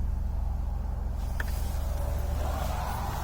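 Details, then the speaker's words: Dodge Grand Caravan, about 212,000 km (~125,000 miles), winter with road salt, heard from the cabin: low, smooth, quiet even idle hum with door-ajar/seatbelt chime; no knocks or misses, healthy normal idle. "ever heard anything so start so nice now listen quiet runs nice doesn't it"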